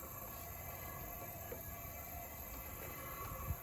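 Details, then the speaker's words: John Deere D125 mower engine stopped, cylinder pressurized with about 10-15 psi and turned by hand: soft, even hiss of air escaping out the intake; intake valve not sealing on that side. "you're still getting air out of this intake yeah i think it's this one you definitely get an air out of the intake so that means it's the intake valve on this side"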